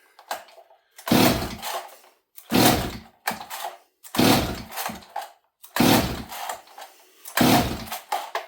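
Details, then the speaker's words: Stihl 026 chainsaw that leaned out in a cut, choke engaging fully, low-speed jet richened slightly: six pulls, each giving a short sputter that dies; hard starting, fuel line doubted, carburetor coming off next. "again friends this thing's giving me trouble so rather than yanking on it for another 20 minutes let's bring you guys in"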